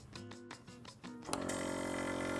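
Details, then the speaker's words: VIAIR 444C air-ride compressor on bolt-on isolator feet: steady, even buzzing hum at about 72 dB, normal running; similar to the VIAIR 310 Stealth Series and quieter than a hard-mounted 444C. "all right so it looks like we got a reading of about 72 looks like via Air's new 310 stealth series compressor is very similar to an isolated 444c but not nearly as loud as a hard-mounted 444c"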